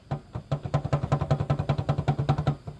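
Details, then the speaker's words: Honda Wave 125 motorcycle engine, freshly rebuilt but noisy, opened up for inspection, crankshaft rocked in and out by hand: sharp, even clunks about 2.5 per second; excessive crankshaft end play, far more than normal. "เยอะเยอะมากนะครับซึ่งรถปกติมันจะไม่โยกขนาดนี้อ่ะ"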